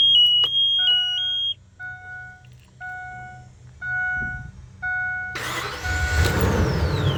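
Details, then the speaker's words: 2004 Ford E-350 Super Duty V10 van, 70,000 miles, first start after sitting about six years, following a tune-up, fresh fuel and new filters and fluids: warning chimes, then it cranks and catches into a steady, slightly rough idle; runs, though dirty. "Well, that's a good sign. Real dirty, but she's running."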